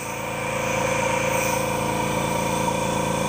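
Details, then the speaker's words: Bella Micro vacuum machine in aspiration mode, crystal switch, pressure at maximum, primary vacuum 21–22 inches: steady airy whistle into the handset over a soft even pump pulse, no rattles; airflow reads 4 on the gauge, normal. "the next thing we want to check is air flow and you can hear the air whistling into this handset"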